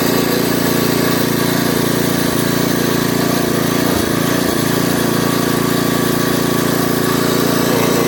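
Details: Craftsman rototiller with a Briggs & Stratton 5.5hp I/C engine, left outside in the garden, would not start, with water and rust in the fuel tank; after the tank was rinsed and fuel added, it runs at a steady, even pace with no surging: normal running.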